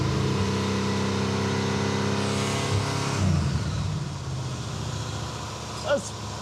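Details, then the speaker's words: Super Camaro (1970/71) V8 after adjusting ignition timing to about 40, backed off slightly: steady crisp note easing down smoothly, no misfire or popping; runs better, happier even at part throttle. "Even at part throttle, it was way happier now."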